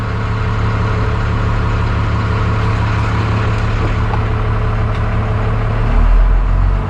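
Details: 1991 Freightliner FL70 tow truck, believed 5.9 12-valve Cummins diesel, sat about 15–20 years: steady even diesel clatter at idle, low rumble, no misses or knocks, really good oil pressure; normal idle.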